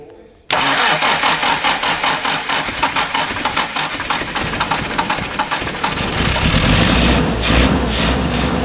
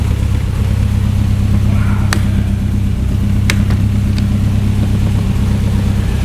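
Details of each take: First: 1967 Morgan Plus 4 Drop Head Coupe, not run in years, on stinky old fuel, float suspected sticking; steady cranking for several seconds then catches into rough, building idle; engine cranking then starting. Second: 1967 Morgan Plus 4 Drop Head Coupe four-cylinder, not run in years, first start after oil shot into cylinders: steady idle settling from about 1,200 to 800 rpm, even slightly lumpy beat, rocks a little, no knocks; sounds healthy.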